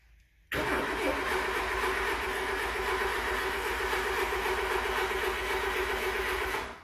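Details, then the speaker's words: Renault LeCar cranking after a few squirts of starting fluid: steady cranking at about four turns a second with not even a pop. Cause confirmed as spark plugs completely fouled; they were pulled and replaced with good used plugs. "nothing nothing I wonder if my spark plugs are foued they probably are"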